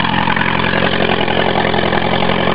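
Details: Honda Prelude started in the morning after sitting a couple months, fuel pump issue: loud coarse rough idle with churning drone, lots of smoke; owner attributes it to fuel pump, not confirmed.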